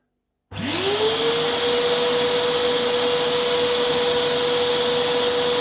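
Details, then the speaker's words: Old Vax 6131t Multivax vacuum cleaner, daily use, after replacing a motor that had turned high-pitched and noisy: winds up in half a second to a steady, clean whine with even airflow, no rasp, a bit quieter; normal motor run. "there we go it's working it sounds a bit quieter"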